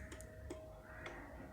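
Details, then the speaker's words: Yezdi Adventure, ignition on, kill switch on, in neutral: pulling the clutch lever gives a few sharp, dry clicks over a quiet background, each crisp and clean as the starter relay pulls in normally, self-start circuit working. "When I pull the clutch, the lever at the engine casing, you can see the movement and the clicking sound of the starter"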